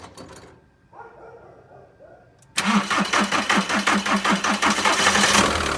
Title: 1.9 tdi hard start problem